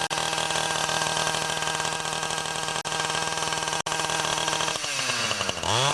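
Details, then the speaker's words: Ryobi 31cc two-stroke mini cultivator after L-screw carb adjustment and a new Champion RDJ7Y spark plug: crisp, even buzz at steady speed, then a clean rev change; normal running. "So once you know you've adjusted the carb and it's running right, put the screw caps back on just by pushing down."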